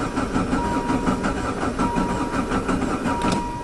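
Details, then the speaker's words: VW Jetta diesel-converted van with a mechanical injector pump showing corrosion, sitting since fall; slow uneven chugging over a whirring starter without firing, as air seeped into the pump and fuel drained back; fixed by hand-priming the pump with diesel. "let me go okay take two I have primed the injector pump I did that by unhooking the fuel line and using the squeezy bottle and squeezing hand pressurized diesel into the injector pump it did seem empty"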